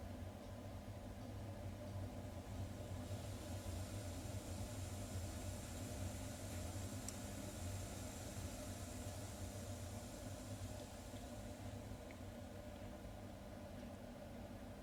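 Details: Ideal C28 Mini combi gas boiler, rough low buzzing drone with grinding edge; intermittent but more frequent, from area of 3-way diverter valve, gas valve and DHW flow switch; owner suspects trapped fan-like part, not confirmed.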